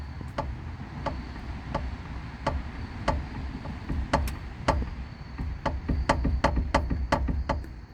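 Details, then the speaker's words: 2003 Honda Civic EX front driver-side ball joint, boot completely ripped and grease gone, wheel shaken by hand under the car: sharp dry knocks quickening to about four a second; worn, loose ball joint. "So I think you guys can easily tell that this ball joint is worn out. You can see all the play in there, all the movement, and you can also hear it as well."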